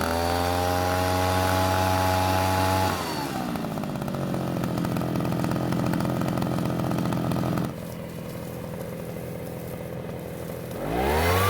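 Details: Shindaiwa two-stroke backpack leaf blower after repair of no-start: crisp howl steady at high revs, drops cleanly to part throttle and picks back up without stumbling; runs healthy.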